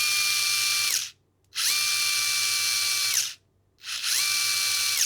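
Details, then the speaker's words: Furitek Grasshopper brushless system in Losi Micro-B, firmware 1.6, motor rotation setting swapped; three high whirring bursts reaching different top speeds, now faster forward and slower in reverse. "so it definitely definely spins faster that way around and it's definitely slower in Reverse"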